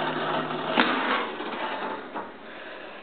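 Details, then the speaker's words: Dishwasher, drain line not clogged, reassembled after pushing through the drain with a turkey baster: rough, gritty continuous grinding, and no water filling or draining; something binding inside, cause unknown. "and trying to run it, and it's making this noise. Awfully grinding. And there's no water inside, there's no water coming out or anything."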